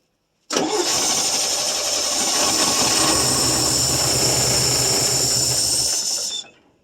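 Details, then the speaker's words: 1966 GMC half-ton, 250 inline six, first start in about two years, running on fuel poured into the carburetor: ragged, hissy, uneven running with no knock until it cuts out; it later lost ignition. "Well, it don't sound like he's knocking or anything."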